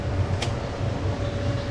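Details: Sette 270 WI grinder under repair, its faulty lower switch bypassed to run the motor directly: steady low whir with a faint constant hum, no grinding or stutter; the motor runs normally.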